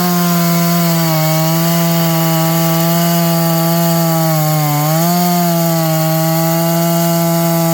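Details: John Deere CS81 chainsaw cutting wood after revival: strong steady pitch through the cut, dipping briefly under load and recovering cleanly; carburetor okay, burning black off a dried-up muffler, running healthy.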